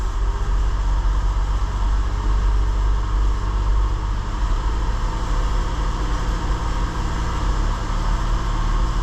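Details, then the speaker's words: 2006 Infiniti G35, 200,000 km, new spark plugs, held at slightly raised rpm: deep drone with uneven lumpy pulse, running rough; P0300 misfire, bank 2 staying lean versus bank 1, not a vacuum leak, traced to bad fuel injectors. "surely you can hear that running a bit rough"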